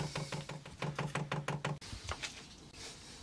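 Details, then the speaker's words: 8 kW Chinese diesel heater dosing pump priming the fuel line before the first start: steady ticking about three times a second that speeds up. This is normal priming. "hear it clicking away. So that's just priming the pump. We're going faster now."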